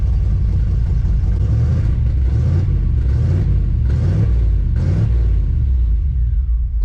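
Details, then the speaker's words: 1991 Chevy Silverado V8, 399,000 miles: heavy rumble surging and sagging about once a second. The MAP sensor vacuum hose had been knocked off during EGR work and runs much better once reconnected; rough running. "well you guys I'm a freaking idiot look what I found that's the vacuum that's the vacuum hose for the map sensor I must have hit it when I was freaking doing the EGR"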